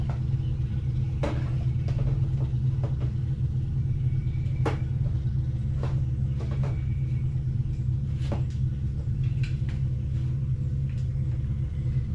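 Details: 1999 Harley-Davidson Fatboy after gas tanks cleaned and reinstalled, running on a jump box: deep steady low rumble, a few light clicks on top; the V-twin runs healthy.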